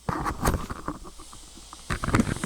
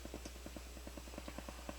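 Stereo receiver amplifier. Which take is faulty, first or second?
second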